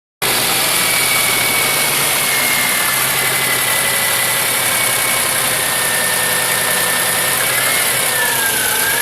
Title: Cold engine knock sound?